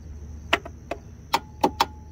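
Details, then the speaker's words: Husqvarna YTH21K46 riding mower, Kohler SV610-0212 engine, with a 300 CCA battery: five crisp, solid solenoid clicks each key turn, no weak chatter; full 12.4 volts reach the starter wire. Normal starter solenoid click. "So we're getting a solid click now out of the unit each time it clicks, and we're getting full voltage out of the battery, 12.4 volts over here to where the starter wire is."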